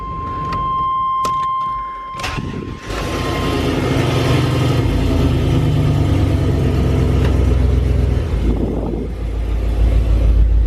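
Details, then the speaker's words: LS-swapped OBS Chevrolet Suburban V8 after new custom exhaust and removal of clogged catalytic converters, first start on the ground: chime, then a deep even rumble through a few blips, no ticking or leak; sounds like a stock truck, normal exhaust note. "it sounds like a pretty stock truck"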